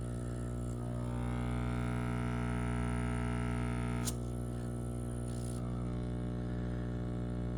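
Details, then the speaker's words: Whisper 60 aquarium air pump, a replacement unit that slowly lost pressure after a few months, run opened up: a steady low mains buzz with rough overtones and extreme vibration on one side, hardly any on the other, though both sides pump air. Diaphragm failure suspected. "Oh wow, there's a difference. Hear that? Extreme vibration on that side. Hardly any on this side."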